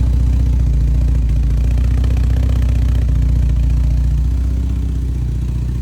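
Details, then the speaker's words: 1971 Volvo 1800E B20 four-cylinder on first start after a stop-gap head gasket replacement (bores rust-damaged) and fresh oil, run before re-torquing head bolts: clearing up into a steady, even low idle with no knock or miss; it runs fine. "there we go it's clearing up now oh man hear that you hear that me neither it's good"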